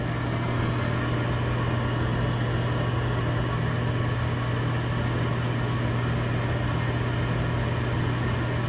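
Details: Gas furnace at first start-up on the new control board, after the safety switch is pushed: the draft inducer motor spins up with a steady low hum and even drone, no rattles or scraping, as the igniter comes on; normal inducer operation.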